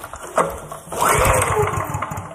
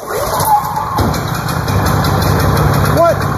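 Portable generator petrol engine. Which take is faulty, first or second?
first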